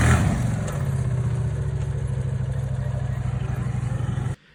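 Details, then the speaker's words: CF Moto CF800 4WD UTV engine idling with a steady fast heavy knock; copper-colored flakes found in drained oil indicate worn-out bearings, engine removed for rebuild. "it would be copper colored uh debris which indicates that the bearings have worn out and it was knocking from that"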